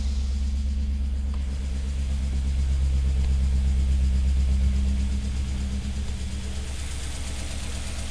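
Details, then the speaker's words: First start of the engine after timing chain guide and valley pan gasket replacement, in a car with a cylinder 3 misfire mystery: low, even idle rumble with a steady beat, no misses or tapping; sounds smooth and healthy. "Sounds smooth."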